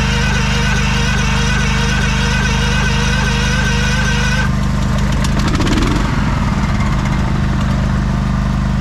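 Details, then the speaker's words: 1989 Craftsman Kohler mower, jump-started after a long layoff, runs steady and even after a brief throttle blip; it tends to want to stall when throttled up, may need tuning, but is running well. "it she's running mint"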